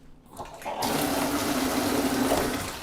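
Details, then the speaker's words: Brand-new 40-gallon A.O. Smith electric water heater with low outlet pressure complaint, partly taken apart: strong, steady rush of water building quickly and staying even, the normal full flow it should deliver. "see, that's the kind of water flow you're supposed to have coming out of this thing, you know."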